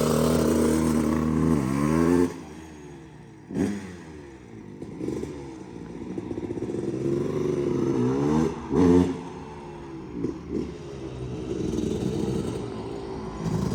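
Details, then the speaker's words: 2001 Kawasaki KX250 two-stroke revved after the needle clip was raised one position to lean the mixture and the pilot mixture adjusted: sharp repeated throttle blips falling back to a rattly idle, mixture still slightly uneven; improvement uncertain. "so I played around with the uh with the pilot mixture a little bit and I think I might have it improved I'm gonna try to see if I can start it up and give it one more test"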